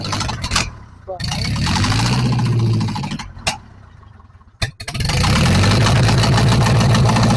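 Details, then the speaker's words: 1944 Ford 2N tractor after reassembly: engine cranks, stumbles once or twice, catches and settles into a steady even idle with no misses; reverse works, oil pressure about 45–50, no smoke; normal running. "well that worked out really well so apparently transmission at least in Reverse Works ran pretty good"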